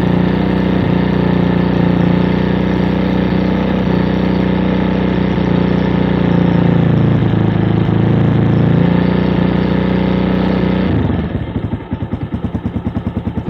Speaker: pero si la mantenemos un poco acelerada se ven las variaciones del motor